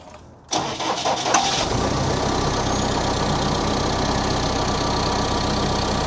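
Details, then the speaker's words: CAT 420F backhoe diesel after a service, fluids checked: starter cranks briefly, engine catches cleanly and settles to a steady, even idle with no belt squeal or knock; normal start and idle. "Make kitty cat purr again. She sounds good. No squeaking. No engine belt squeaking."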